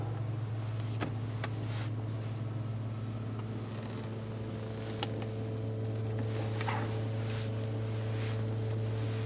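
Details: Chevrolet Lanos fuel pump: a steady low hum with a fixed higher tone that never changes. The strainer and fuel level sensor were replaced a month earlier, so the owner suspects the pump itself.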